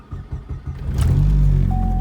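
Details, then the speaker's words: Big-turbo Chevrolet Cobalt SS on E85, cold start: uneven stumbling putts nearly stalling, then a throttle blip lifts it to a steadier rev; also misfires under boost with check engine light, owner suspects spark plugs. "and right when I started on his cold which I know is an e85 thing but look it'll stall so"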